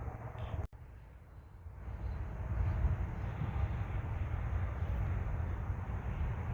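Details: MCI MC8 diesel bus, sat about two years, first day above freezing, cranked from front controls, batteries suspected weak; smoking so fuel present: low heavy rumble turning over for several seconds with uneven beat, never fires into idle; crank, no start.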